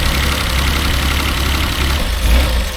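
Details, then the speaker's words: Mazda Bongo 2.5 V6 after new electrical parts and a fuel filter: uneven, lumpy idle with irregular dips and stumbles, white smoke from the exhaust; still misfiring badly, cause unknown, with codes and a compression test planned next. "okay it's still misfiring quite badly"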